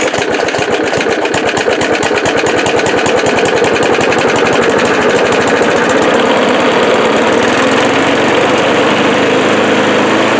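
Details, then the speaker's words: Old Craftsman mower single-cylinder engine after cleaning and refitting original carburetor and tank, primer ball from the other tank; fast steady beat, no stumbling or surging, no more smoke: running normally. "As you can see, it's running good. There's no more smoke from the motor."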